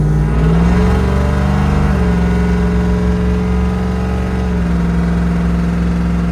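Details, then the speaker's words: LS-swapped (LSA) Suburban test drive after torque converter replacement: steady engine drone rising with road speed, clean pitch drops at each upshift, no slipping; normal drive. "Everything seems to be going good so far. Put some miles on it and we'll see how it does."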